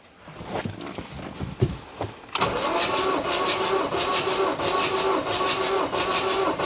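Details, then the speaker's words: Ford 2.2 TDCi (Ranger, 125,000 mi, blowing blue smoke) cranked for compression test on cylinder 4, about 300 PSI: steady starter cranking about three beats per second, even rhythm, no firing; normal cranking. "Now, that was a lot of cranks for cylinder 4."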